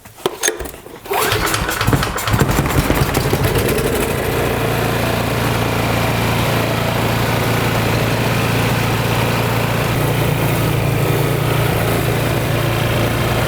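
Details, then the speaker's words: Briggs & Stratton engine after camshaft replacement that cured hard pulling, fresh conventional 5W30 oil, started with key, choke and primer: a few cranking coughs, then it settles into a steady, even beat with no knocks; it runs fine. "okay so that's good that engine's all right"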